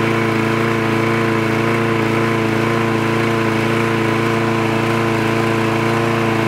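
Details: Trash-picked free Craftsman push lawn mower with automatic choke, running after the spark plug wire was reconnected: an even, constant buzz at one steady speed with no surging or missing; the engine runs cleanly.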